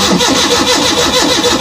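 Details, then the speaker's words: Maruti Omni van, petrol converted to gas, cranked in neutral on a morning start; steady rhythmic starter chatter, engine never catches; crank no start, attributed to the gas kit. "Guys সকালবেলা গাড়িটা এরকম start দিচ্ছি কিন্তু start কিন্তু নিচ্ছে না ঠিক start না নেয়ার কারণ হচ্ছে কিট"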